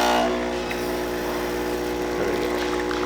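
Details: Delonghi Magnifica after tune-up (lower brew unit replaced, descaled, upper brew unit gasket replaced, screen cleaned) brewing a double espresso: steady buzzing pump drone with smooth, even tone and gurgling flow; normal brewing.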